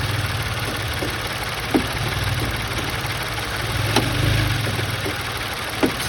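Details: Engine at steady idle with occasional single dull clunks a couple of seconds apart; noise caused by loose engine mount.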